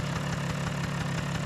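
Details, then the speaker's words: Vespa PX two-stroke, idle screw turned anti-clockwise to lower a too-high idle: steady, even putter with a regular beat and no misses; normal idle, responds well to throttle. "ah that sounds better! and the engine reacts quite good to the throttle commands!"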